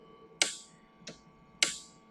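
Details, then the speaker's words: BestCode continuous inkjet (CIJ) printer, gutter solenoid fired from the fluidics solenoid service screen while held by hand: crisp sharp clicks, four in about two seconds with a quick metallic ring, so the gutter solenoid is clicking and working normally. "and I can feel it clicking I can hear it clicking now obviously the whole purpose of this uh tutorial is to find out which one is not clicking is not firing so um yep the gutter one is firing right now that's good"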